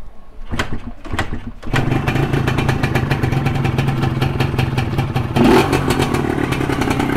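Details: Modified Yamaha 125Z two-stroke, started after the ignition timing was set: a few kick attempts, then it catches and settles into an even, crackling idle with a quick blip; it runs fine.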